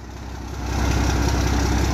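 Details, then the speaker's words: 12-valve Cummins dually after fuel pump replacement: fired right up once the overflow valve was swapped for the one that was in it. Deep even diesel clatter settling into a steady healthy idle. Normal idle. "they replace that overflow valve with the one that was in it and it fired right up"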